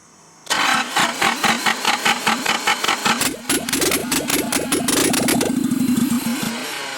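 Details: Nissan S12 Silvia turbo engine first start after reassembly, injector plugs not seating properly, timing being adjusted: long cranking with uneven chuffs, half-catching and running rough briefly before fading; hard start, cause unconfirmed.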